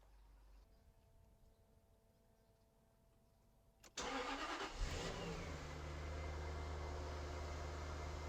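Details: Jaguar X100/X308 V8 (XK8/XKR/XJ8) started after instrumount (airbox rubber damper) replacement: starter whirs, catches cleanly, flares briefly, settles to smooth even idle, no misses or rattles; "sweet as a nut".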